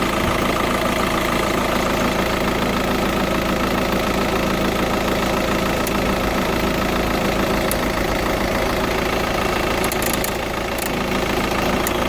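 Diesel idles with a fast, fairly even light tick riding over the clatter, roughly three or four a second; cause unclear.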